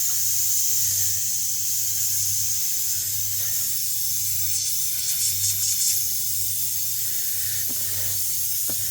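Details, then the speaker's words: Flat tire with small puncture from a long screw, pulled out, car on a jack stand: constant sharp hiss of air escaping with low room hum, before inserting a tire plug; tire air leak. "Well, that's a small hole. I might have to wait till the air gets out of it."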